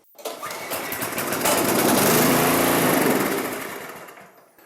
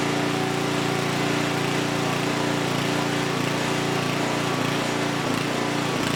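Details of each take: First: Abandoned Huskee rear-tine rototiller, before carburetor cleaning: spark plug shows a little carbon and the cylinder was primed. The small engine catches and runs for a couple of seconds, then fades and stalls, running only on the prime. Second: Huskee rear-tine rototiller abandoned by previous owner, after recoil repair, carb and fuel tank cleaning, running hot before oil change: steady, fast, even engine beat at constant speed, no misses or surging; engine is good, normal running.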